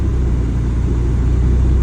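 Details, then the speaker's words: Mazda RX7 FC3S rotary, cold start after stock ECU reset plus 10-15 minutes of driving relearn: low, smooth, even idle with no bouncing or dips as AC comes on; healthy. "so now it's already cold start the iding is not jumping it's not bouncing it's not jumping Shakalaka the bombas stic everything nice nice let's try to open the icon AC see"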